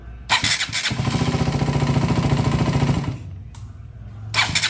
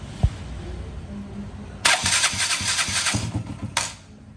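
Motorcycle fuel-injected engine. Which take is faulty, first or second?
second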